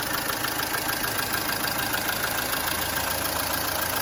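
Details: Mercedes-Benz W212 with M271 engine at idle after adding Liqui Moly Stop Leak and lifter additive: quick light ticking about three a second from the top end, hydraulic lifters still ticking; owner suspects antifreeze getting into oil.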